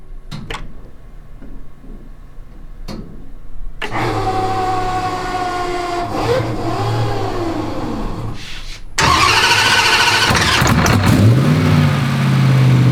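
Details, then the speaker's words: Dodge Durango (Death Week car) right after a new Hemi V8 engine swap, headers just refitted: a few clicks, cranks and catches, settles into an even idle and picks up smoothly; good oil pressure; normal healthy first start. "So that's the point we're in, just making sure it's good. Starts, runs, has good oil pressure. So we think we're good."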